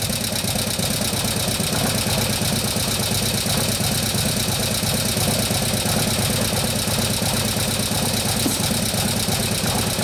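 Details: 2015 Harley-Davidson Road Glide FLH, 103ci Twin Cam, after camshaft install and new oil pump: light steady ticking about three per second over lumpy V-twin idle; lifters not yet pumped up with oil, taking unusually long.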